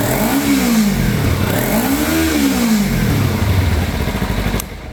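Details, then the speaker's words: Kawasaki Ninja 300 (2013 to possibly 2017) after throttle body replacement, which previously wouldn't pass 3,000–4,000 rpm and ran sluggish: strong, clean revs rising and falling smoothly without stumbling; full power restored. "So as you can see there, we finally got full power back on this bike."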